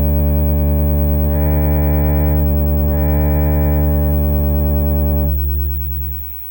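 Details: Fenton Weill Bass 15 valve amp after temporarily bridging a capacitor: signal-generator test tone comes through clean and steady without buzz or crackle, then fades at switch-off; amp passes signal properly.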